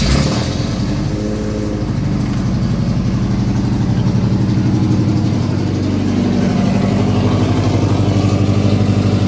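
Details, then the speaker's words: Lowered mini truck on its first start with a new header that has an open, gaping hole: a loud, ragged, popping chuff at about four per second at idle, sounding like a constant misfire. The cause is an exhaust leak from the header hole. "okay it sounds awful it sounds absolutely terrible especially with the hole in the header it sounds like a constant misfire"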